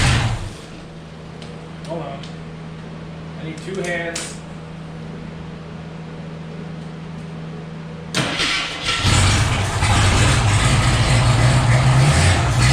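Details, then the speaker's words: Former AMC Eagle derby car, engine previously seized, first start attempt with gas poured in: brief catch at the starter, then fires and settles into a steady, even run without misses or stalling. "it don't sound too bad"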